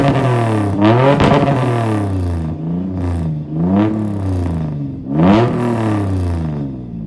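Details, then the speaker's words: TacoNook build engine revved once warmed up, not when cold; three clean blips from idle, deep exhaust note rising and falling smoothly with no misses; engine and exhaust sound healthy, normal revving. "I will go ahead and throw in a sound bite of it when it's warmed up so I can rev it up for you guys. I don't want to rev it when it's too cold."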